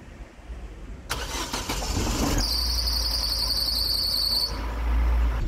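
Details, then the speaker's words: Daewoo Cielo (Nexia) 1.5 A15SMS cold start using a jump starter on a weak battery; starter cranks briefly, engine catches and settles to an even idle amid passing traffic; normal cold start. "Na hát remélem a sok elhaladó autótól azért lehetett hallani, hogy szépen beindult, úgyhogy meg vagyunk elégedve a kis bikával."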